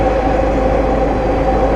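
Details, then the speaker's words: Diamond DA-20 (N139DA) in a steep ~60° bank at about 2G sustained during accelerated stall training. A steady mid-pitched stall warning horn holds over the engine drone, warning of an approaching stall. "You can hear the stall warning horn going off."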